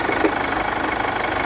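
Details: Chevrolet Captiva 2.2 diesel at idle; fast, even ticking knock steady over the idle; engine knock, owner suspects the timing chain drive components, unconfirmed.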